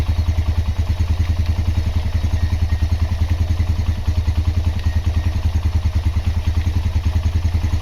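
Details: Honda GL Max Neotech engine after restoration/rejuvenation: even putt-putt at about 200 beats a minute, steady without ticking or clatter; healthy idle.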